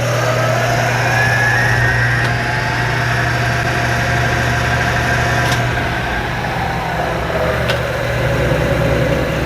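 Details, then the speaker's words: 1975 Hardinge HC Chucker lathe after drive belt adjustment, two-speed motor and variable speed pulley, run at high speed: steady even hum, level pitch, no knocks or rubbing; speed change now working properly, normal running. "anyway anyway that's how bob speed change works and now all of that is working properly"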